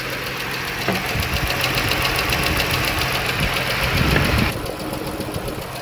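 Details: Hot-idling 3.6 Pentastar V6: a sharp, steady valve-train tick, roughly three to four a second; owner suspects one bank and pulls the valve cover to inspect, cause not yet confirmed.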